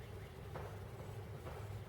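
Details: 1940 Buick straight eight, first start in about 30 years after freeing the engine and a valve job (rings good): only a faint, low, even idle rumble with no knocks or ticks, running very smoothly.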